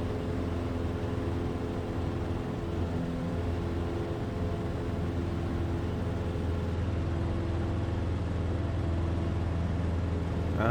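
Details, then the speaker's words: Cessna 150 with Continental O-200-A in a full-power takeoff climb: steady drone sagging as rpm drops about 10–30 at 100–200 ft. Carb heat did not restore power and compressions were in the 70s; the power loss was traced to failed spark plug resistors. "yeah, there there was a slight drop. You can almost hear it here."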